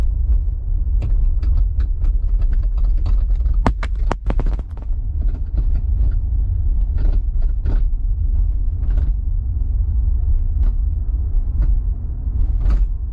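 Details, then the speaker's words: Hyundai Ioniq 5 driving away after dealer work on liftgate fit and finish: quiet road rumble with irregular sharp clicks and taps from the rear over bumps; liftgate rattling, misaligned on the left, worse than before. "wife's like what is that sound and I was like that's the that's the trunk it's rattling that liftgate is rattling"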